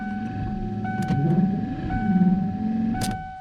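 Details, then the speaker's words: 1993 Ford F-150 wiper motor, wipers move only at higher knob settings; steady high whine with labored groan and a clunk about once a second at each wipe reversal; failing motor. "it's like as i turn the knob they move and it's very loud i don't know if you guys can hear that [Music] and i mean that's the motor making that sound as you can see it's working when it's turned all the way"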